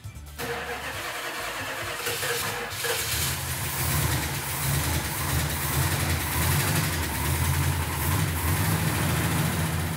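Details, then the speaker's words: Restored 1970 Superbird with a 440 Super Commando V8, started on 98 octane after the firing order was double-checked. Catches quickly and settles into a deep, even rumble with no misses or backfires: normal start. "when mark got it started it sounded really nice i couldn't even hear it i was in the other room i couldn't hear it when it started"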